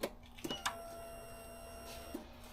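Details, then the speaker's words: 2017 Piaggio Fly 150 3V ie scooter, key on after the fuel pump was reinstalled and the fuel line locked in: a faint steady electric hum between light clicks as the fuel pump primes normally. "And we can check the fuel pump by turning on the ignition. And it's priming, so it's working fine."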